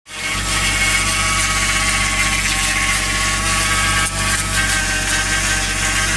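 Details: 1JZ VVTi engine with new oil pump, new timing belt and 10W60 oil, cold idle: steady high-pitched buzzing whir starting 10-15 s after start with oil pressure, gone once warm; cause unknown.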